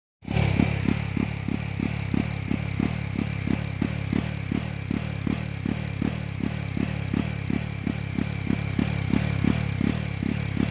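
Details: Jawa 42 motorcycle: single-cylinder thump at roughly three beats a second stumbles unevenly as it tries to pull, a misfire when picking up speed.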